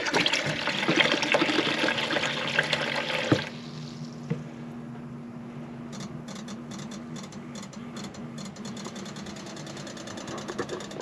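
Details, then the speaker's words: Bailey motorhome water pump after priming: steady low electric hum keeps going after the water stops; pump not cutting out, pressure switch thought to need adjusting. "The pressure switch wants just adjusting. Now, if you can see just down there, it's probably just wants adjusting. Just wanted adjusting."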